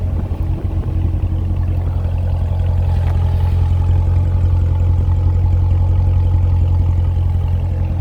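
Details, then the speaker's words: 2014 Corvette Stingray, 51,000 km, pre-purchase inspection, hood open, engine running through diagnostics with cooling fans on: deep even engine rumble under steady fan rush, no knocks or ticks; normal running with cooling fans on. "going to the hood we'll see fans are on had it running while i was doing diagnostics"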